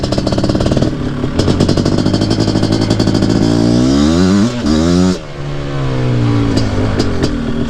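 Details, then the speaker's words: Nearly stock Suzuki QuadZilla LT500R two-stroke, PWK-style carb, after rejetting (still slightly rich up top): deep exhaust note climbs smoothly through the revs and pulls strongly under load while riding. A healthy engine. "nice deep tone and you guys got to remember too i come from riding an 80 horsepower banshee"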